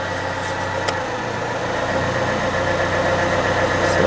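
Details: 1998 Fiat Cinquecento cold idle after new radiator, waiting for thermostat to open, heater on with fan running: smooth, even idle with steady pulse and soft blower whir; healthy engine.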